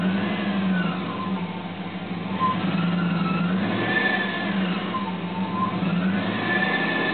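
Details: 2002 Dodge Durango, cold engine in winter: a wavering whine swoops up and down every couple of seconds while running. It lasts the first 10–15 minutes of driving, never occurs in summer, and is gone when revved at the end. Cause unknown.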